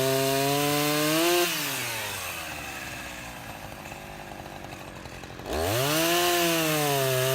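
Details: Husqvarna 353 chainsaw after gas line and chain drive repair and carburetor tuning, test cut: crisp high rev bogs smoothly into the cut, pulls steadily, then snaps back to full rev cleanly; healthy, chain somewhat grabby.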